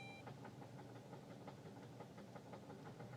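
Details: 2006 Saturn Ion, owned five years, knocking for two weeks: a dull, uneven knock about three a second at idle over the running noise. Owner says it won't get up to 200 rpm. Mechanic suspects a piston; cause unconfirmed.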